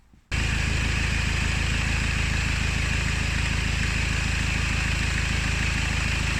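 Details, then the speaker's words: Diesel engine idling with a steady clatter plus an abnormal rotating whir of unknown source; traced by resting a rod on pulley-driven components, where a bad bearing inside a pulley sounds very loud. "to the bearing, or the pulley, that's particularly noisy, which is probably a bearing inside the pulley, you're going to hear it very loudly through this rod."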